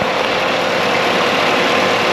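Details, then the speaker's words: V8 Colorado after fixing a fan that wouldn't speed up enough with AC on: steady loud rush of air, no rattle or wobble; radiator cooling fan running smoothly at full speed. "It's definitely moving more air, but it's not like, you know, cooking. It's not like bucking. Oh yeah, you can hear it now. That's a good sign."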